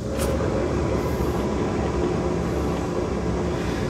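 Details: Boat trailer rolling: steady deep rumbling growl from a worn wheel bearing, found while planning a new axle.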